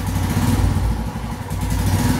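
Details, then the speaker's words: Royal Enfield Himalayan with the throttle position sensor properly reconnected: single-cylinder revs climb smoothly and evenly with no stumble or hesitation; clean throttle response. "properly going all the way up so that is how it should be"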